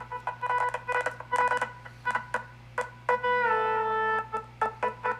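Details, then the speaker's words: HP Pavilion x360 laptop that had been dropped: music from the speakers chops into short bursts with abrupt gaps and a faint hum, but sometimes plays fine. Replacing the audio driver is the suspected fix, not confirmed. "now the odd part about this if it cut out completely every time it played music or sound that'd be one thing but every now and then it plays music just fine"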